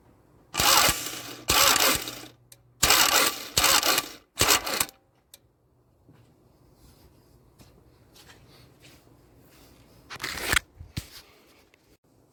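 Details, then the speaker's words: 1998 Toyota Camry, sat all winter, fuel tank swapped: repeated starter cranking that never catches; crank no start; spark check shows good fire on cylinder 1, weak on 2 and 4, none on 3; owner suspects failed coil packs. "i have noticed that i have good fire on cylinder number one cylinder number two is pretty weak there's no fire on cylinder number three at all and number four is also pretty weak so my coil packs are shot"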